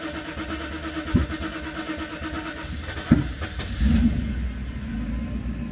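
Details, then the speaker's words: Mercedes V8 (R129 SL500 or W124 E420) cranks with two sharp exhaust pops, then catches into an uneven idle; throttle in limp mode, opening only half because the throttle body coil isn't working; rough start. "which it does now but you even heard some pops coming out of the uh exhaust nothing good is happening right here"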